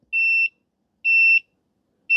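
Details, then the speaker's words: Husqvarna 150BT backpack blower that won't shut off with the switch: the meter beeps in short high bursts about once a second as the kinked kill-switch wire near the handle is barely flexed. Finding: copper broken inside the insulation. "See, I'm barely moving. Our brake is right there. The copper is broken inside the insulation."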